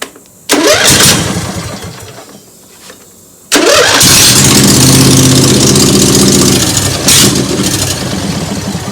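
Cranks and catches, fires briefly, then restarts and settles into a steady, even run with a short rev; starts and runs normally.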